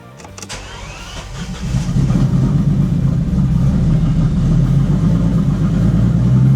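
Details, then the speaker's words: Bentley Continental GT, unused since 2017, just started for the first time amid heavy petrol fumes: catches and runs with a rough, hunting drone only while the throttle is held. Stalls straight away without throttle and won't hold an idle. "I mean, I need to hold the per gas pedal. It shuts down straight away."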